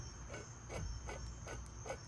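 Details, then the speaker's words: Old, heavier small-block Chevy water pump from a G-body Monte Carlo SS, turned by hand: faint, evenly spaced scraping rasp suggesting a rough bearing; new Proform aluminum pump is smooth; owner unsure whether the noise means it is bad. "but you can hear that making noise y'all get in the comment section and let me know you know if that means anything this one no noise at all it's just smooth"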